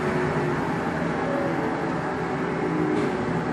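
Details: Blanchard No. 18 36-inch surface grinder in excellent shape, spindle head rapid traverse with no coolant: steady even mechanical hum without knocks, grinding or surges; moves normally.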